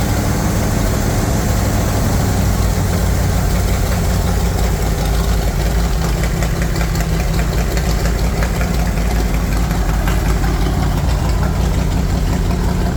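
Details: Chevy 350 V8 in a Wide Gauge Bombardier after a tune-up and an oil and filter change, with long-unchanged black oil drained: deep, loud, even idle with a steady low rumble and no knocks or misses; running smooth and clean.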